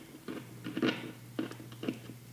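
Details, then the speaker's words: Squier Jagmaster Vista Series guitar through an amp: short crackly bursts over a steady hum as the knob turns, from a pot that is still slightly scratchy after being sprayed with cleaner. "Let's see what it sounds like here now. Yeah, she's a little grouchy, not bad."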